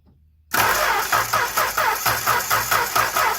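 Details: Engine cranked by the starter with the spark plug wire grounded, after a warm idle, before compression testing: a steady, even beat with each compression stroke sounding alike and no skipped or fast beats. Normal cranking.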